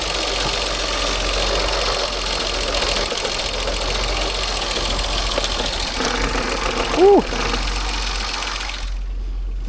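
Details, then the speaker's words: 2016 Range Rover Sport, crank-no-start, briefly running: rough uneven running with heavy irregular knocking; compression only on bank 1, owner suspects timing chain out, serious internal mechanical damage, no misfire codes. "Oh, my phone's going to get messed up here. Sounds really bad."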